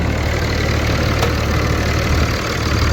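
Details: 2006 Dodge Ram 2500 5.9L Cummins diesel near operating temperature, after replacing injectors, fuel rail and lines and adjusting valve lash for power loss: deep, even diesel clatter at steady idle, no miss or stumble; back to normal.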